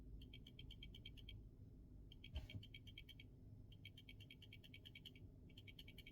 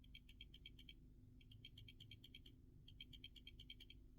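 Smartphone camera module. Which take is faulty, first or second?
first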